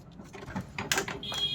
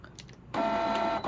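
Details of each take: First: Canon Pixma G2010 printer powering on after E03 error fixed by clearing a paper jam: short whirring and clicking bursts as carriage and rollers cycle, then a brief tone; normal startup, printer ready. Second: Canon Pixma G2010 printer showing error E03 on power-up: steady motor whir and faint whine, then stalls and restarts briefly; E03 is a paper-path error, usually debris such as a pen cap stuck at the paper sensor or feed route.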